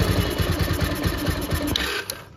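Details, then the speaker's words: Bajaj Pulsar after carburettor washing for overflow, no choke: quick, even put-put idle fine, but on opening throttle it bogs and cuts out within two seconds; pickup problem traced to the carburettor. "देखो बंद हो जाता है।"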